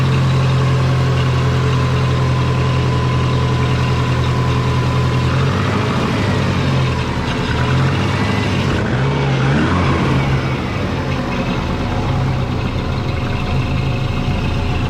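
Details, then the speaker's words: Twin-turbo Subaru with a GT35 turbo idling. Low, uneven puffing chuff underneath points to an exhaust leak. Suspected at a flange that may not be flat or at the header-to-head joint. "i didn't tighten that at all it just sounds like there's an exhaust lake down here somewhere yeah i can hear a chuffing going on"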